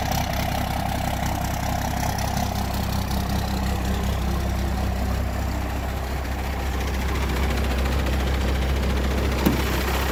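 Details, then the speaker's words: 1992 2WD single cab first-gen diesel, after cleaning: slow, heavy clatter at roughly 160 beats a minute, steady but sluggish; owner thinks idle sits a bit low and needs adjusting. "It does idle a little bit low in my opinion, which is funny because my crew cab idles a little bit high. So we're gonna have to adjust the idle on both of them, but let's start it up."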